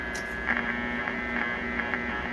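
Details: 1941 Crosley 52TA AM tube radio after partial recap and dial-needle fix; steady low buzz with higher overtones and faint clicks, sounds the same as before, touching the tuning condenser changes nothing. Mains hum remains, cause not found.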